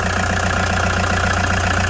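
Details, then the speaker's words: 2009 Toyota Commuter van, 2.5 D4D diesel, heard with the engine bay open: an even idle with a soft, regular clatter and a steady low rumble, no misses or knocks. The engine is described as quiet and steady; healthy. "นี่ครับเครื่องเงียบๆนิ่งๆนะครับไม่มีเยอะนะครับ"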